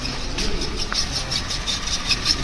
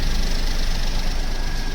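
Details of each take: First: Maruti Wagon R automatic at idle with a dry, rapid 'kach-kach' chatter about three a second from a worn clutch release bearing. The fix was replacing the clutch, clutch bearing, flywheel bearing and main oil seal, after which the noise was gone. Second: Maruti Wagon R automatic after clutch, clutch bearing and flywheel bearing replacement idles with a steady, even low rumble; the earlier kach-kach gearbox noise from the worn clutch bearing is gone.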